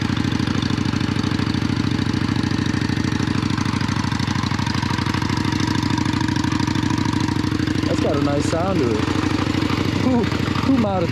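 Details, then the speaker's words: Cold start of a carbureted Yamaha Virago 535 V-twin cruiser on choke, with the throttle pumped first: an even, loping twin idle with a few sharp blips near the end. It runs clean and healthy. "Who made this bike sound so good?"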